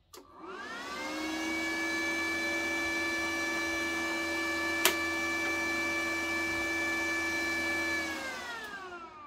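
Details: Parkside PMSG 200 A1 multi-process MIG/MAG/TIG/MMA welder, unloaded, cooling fan running about 3 seconds at no load. Steady clean whir spinning up, holding, then winding down smoothly; normal fan run.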